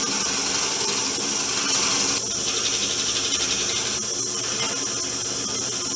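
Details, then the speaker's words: Porter Cable PCB660DP 15" floor drill press, speed lowered from 1620 to 700 rpm, 1/2" bit fully extended through hardwood end grain: even cutting hiss with no squealing, after squaring the table and removing drill bit runout. "So you can hear there's no squealing, even though I have it fully extended into the hole. And that is really a result of having the table square and removing a lot of the run out in the drill bit."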